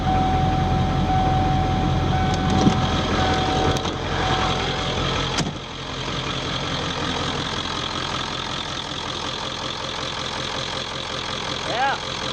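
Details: 1995 Ford F250 4x4 7.3 Powerstroke turbo diesel, started after replacing the glow plugs and wiring harnesses: even, steady diesel clatter at idle that settles into a smooth rhythm, sounding better than before; normal diesel idle.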